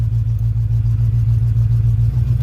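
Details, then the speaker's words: Lifted 1985 Chevy Suburban that had sat for 4 years: deep, even idle burble with steady rapid pulse, no knocks or misses; temperature reading about 150, owner suspects gauge may need a jiggle or the fan may be missing. "Temp's reading about 150. So, this might need a good jiggle. It might not have a fan in it."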